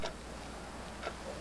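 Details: 1990s neon novelty clock after repair with new custom pendulum and hands reset: faint, even ticks about once a second with no grinding or catching, so the movement runs normally.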